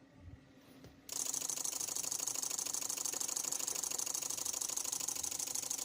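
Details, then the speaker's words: Daihatsu Grand Max after ECU fix (resistor fitted, CKP circuit) that previously started briefly then died; fires and holds an even, steady idle with a light regular tick, no stumbling or dying, restarts responsively. "Nah, ini ee seperti ini bisa ee hidup ya, hidup normal seperti ini."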